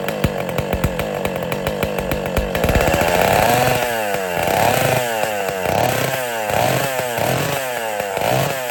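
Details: West Bend / Power Bee 820 two-stroke engine, first-ever start, not cold out, choke opened, throttle opened more, windy outdoors: cranking, then catches with buzzy rising and falling revs as throttle is blipped, runs on its own; normal.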